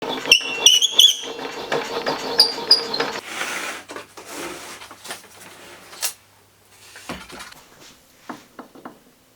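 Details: DeWalt table saw blade height adjustment: uneven scraping and squeaking bursts as the crank is turned, with brief pauses between turns; fixed by a simple maintenance step.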